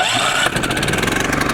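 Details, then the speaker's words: Champion 3500 W dual-fuel inverter generator, first start on gasoline with manual choke via electric start, then economy mode: starter whirrs briefly, engine catches into a quick, even patter with no misses; quiet normal start and idle. "There you go. Really quiet. I'm standing right next to it, and you can see it's not very loud, and this is 3500."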